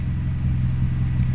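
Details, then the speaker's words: Toyota Celica ST165 All-Trac warm idle in garage at operating temperature (thermostat ~185°F) while diagnosing earlier hesitation/bucking, owner suspects catalytic converter: even steady low hum, no misses, knocks or stumble; closed loop, sensors fine, sounds healthy. "everything screams out fine"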